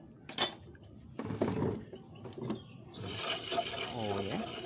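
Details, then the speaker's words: Motorcycle disc brake with newly installed pads, wheel spun by hand: a few light clinks, then a steady high scraping hiss. The new pads rub the disc because they have not bedded in yet; if the wheel drags, clean or service the caliper. "enggak serapi ya serat ini bunyi ya ini antara kampas dan piringannya ya karena belum menyesuaikan ya"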